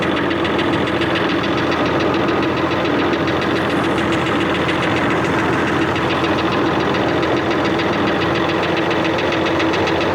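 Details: Engine at rough steady idle with a fast, even top-end tapping. The owner suspects tappet clearance or a bent push rod, possibly from water in the engine; feeler gauges are not yet used and the cause is unconfirmed.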